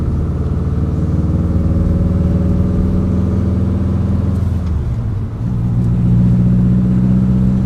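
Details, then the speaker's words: Fully built Subaru WRX, warmed up after coolant bleed, driving after retiming exhaust cams on cylinders 2 and 4 that were two teeth off and caused power loss: strong, even pull rising through revs, brief dip at shift, no misfire; healthy engine under load. "Oh, so much better. Heck yeah, dude. So the the loss of power was due to our exhaust cam on our cylinder 2 and four being two teeth off out of time with everything else. Now it drives like a dream."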